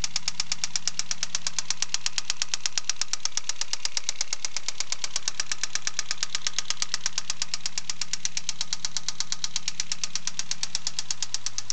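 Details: Mazda Astina BPT engine only 200 km after full rebuild: sharp, steady metallic knock about three per second, evenly spaced over a smooth idle, first taken for piston slap; later confirmed blown big end, rod knock.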